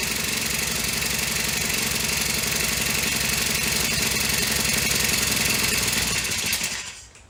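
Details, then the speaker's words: Honda FG100 four-stroke mini tiller, just reassembled after repair (it previously had no valve), started on choke: buzzes unevenly at low speed, stumbling rather than settling, then dies away; it won't idle by itself. "doesn't want to idle by itself let me turn the idle up a little bit see if that helps"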